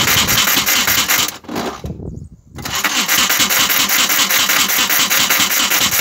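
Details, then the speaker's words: VW Golf Mk1 that won't start, cranking with mist spray: rough, harsh cranking about 2.5 beats a second, stops briefly, never catches; starter misaligned and loosely mounted, owner planning to add second bolt and retard timing to stop backfire. "put the other bolt through to make the starter more secure because you can hear the starter making is uh different sound because it's not lined up and it pulls queue when it take talk."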